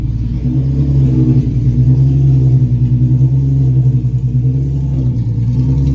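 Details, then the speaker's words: Free Nissan 350Z that had been parked, started after a main relay fix and refilled fuses: a steady, even low idle with no knocks or misses, pressure and voltage good, run briefly with no cooling system connected. "Oh, pressure is good. Voltage is good. I don't have the cooling system right now, so we won't let it run too long. I have the the uh math still undone. We got some stuff to hook up, but she's a runner."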